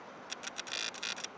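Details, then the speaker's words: Nikon D3100 with 18-105mm lens in video mode, single-point autofocus, ISO 100, zooming and focusing: brief high whirring ticks in quick bursts as the lens hunts and locks focus; normal autofocus motor operation. "uh so you can hear actually when suing and focusing i think you can hear right now you can hear right there the"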